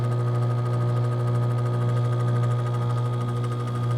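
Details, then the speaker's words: RV rooftop AC after a new capacitor was fitted: steady low hum and drone with no rush of moving air; the fan has trouble turning, and the owner suspects wrong wiring. "Is it getting cold? It's not blowing."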